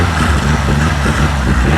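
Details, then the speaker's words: Renault 5 GT Turbo barn find, unmoved since 2001, running on funnel-fed fuel bypassing the suspect electric pump: steady, even low cold idle on choke, regular beat, no knocks or misses; normal. "that's the choke out I love that knife sounds wow wow how good does that sound I call that a victory"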